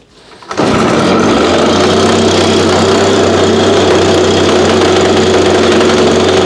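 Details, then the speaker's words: Old backup unit that sat about 8–12 months, cold start around 30°F on ethanol-free fuel without stabilizer, primed: catches and holds a raspy high buzz that wavers unevenly; rough running, owner hears blown bearings and expected a carb issue. "so okay so runs pretty rough honestly this is why i don't use this unit here"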